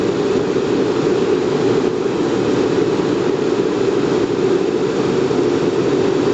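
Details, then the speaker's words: Riello RS38 forced-air gas burner restarting in a dry-start flame-failure test with gas pressure switch set to minimum: steady, even fan roar with a faint low hum, no ignition or flame. Normal pre-purge fan run. "je referme pendant 5 secondes il redémarre il redémarre ventilation le Press gaz je l'ai mis au minimum"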